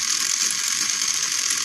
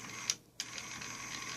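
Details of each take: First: 1995 Mercedes SL600 driver's-side throttle actuator unit, before repair, bench-driven at 14 volts (abnormally high): high-pitched whir with uneven ratcheting rasp for four seconds, then stops; motor binds, breaks loose but won't spin smoothly, needs opening up. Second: Mercedes SL600 throttle actuator motor bench-tested with direct power before repair: faint, even high whir with a couple of light clicks, passenger-side motor spinning freely as normal.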